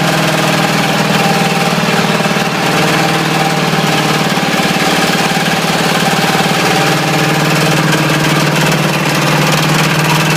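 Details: Ford 351W V8 with a spun rod bearing, abused until it dies: heavy drone with a fast, uneven rap on every revolution at idle and slightly above; rod knock.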